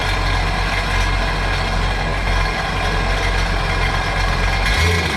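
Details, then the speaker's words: 2009 Sea-Doo GTX 215 supercharged jet ski after replacing dead cylinder-one injector, on the flush hose: steady, even engine drone with water splash, no stumbling or misfire; running cleanly. "Let's pop it back in. Let's see how she runs. [Music] That sounds a lot better."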